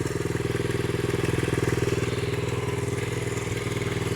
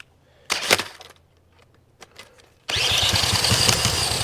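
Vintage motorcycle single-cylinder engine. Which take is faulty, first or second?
second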